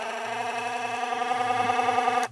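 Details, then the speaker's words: Magnetically driven appliance from charity-shop e-waste, tested safe: steady buzzing hum with slight warble that stops cleanly when switched off; just the post oscillating, base gets warm, works fine. "It sounds a bit odd, but I think that's just the oscillation on the little post there. It's magnetically driven."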